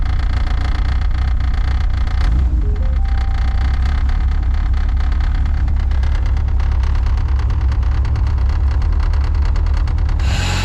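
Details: Honda K24 turbo-swapped EG hatch, reinstalled engine after spun bearing: deep, steady idle with even rumble and no knock or tapping over ten seconds; engine sounds healthy.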